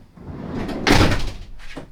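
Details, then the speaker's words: Peugeot Boxer L2H2 van side door, after Dodo Mat sound deadening was applied, shuts with one solid, low thud and little rattle; it closes firmly and quietly, while a separate rattle comes from items in the back. "something's rattling in the back it's not the door door closes nicely sounds nice"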